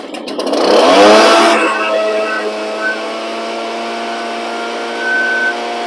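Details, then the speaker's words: Echo PB770 two-stroke backpack blower started on full choke until it fired, then off choke and pulled until running; steady high-pitched buzz, revs settle evenly with no misfire, normal running. "so these pb770s tees they run so good"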